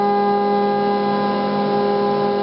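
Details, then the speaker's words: Loud, steady humming whine with strong even tones and no pitch change from a stepper motor on a Gecko G540 drive; noisy because the drive's trim pot is mistuned, fixed by turning it with a plastic screwdriver until the motor runs quietest. "and just turn it back and forth moving your head up and down with your keyboard so you get it as quiet as you can get it and that's when you know you have it when you get the motor running as quiet as possible"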